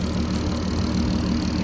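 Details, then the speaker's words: VW Golf R32 VR6 turbo build, warm idle after morning fixes, before rolling-road tune; steady low hum with light fast ticking from noisy injectors under plastic intake manifold: normal idle. "but an absolutely lovely just like it was stopped yeah the clicking you can hear is actually the injectors pretty noisy to be fair"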